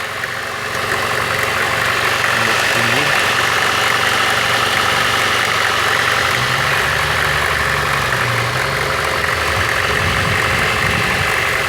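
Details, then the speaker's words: VAZ 2114 1.5 8-valve petrol engine on cold start idle with light uneven crackling tick near the cylinder head over a steady hum; noise disappears once warmed up, cause unknown. "например когда машина холодная я её завожу и в двигателе какой-то посторонний звук не пойму откуда"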